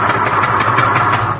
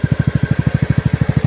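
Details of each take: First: Knock on a TVS NTORQ BS6 scooter engine: sharp metallic raps about six per second over the running engine, a rattling knock. The owner suspects internal parts striking and the engine seizing, and plans to remove and open it. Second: TVS NTorq BS6 scooter engine after crank and block kit work and valve seal replacement, fixing an engine noise problem: even, steady idle with a smooth rev blip, settling back to clean regular idle; noise gone, engine sounds perfect.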